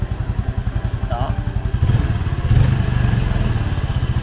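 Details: Yamaha Jupiter FI 2020 after seizing from running out of oil and engine rebuild: slow regular putt-putt idle, even pulses, no tapping or rattle; quiet and healthy again.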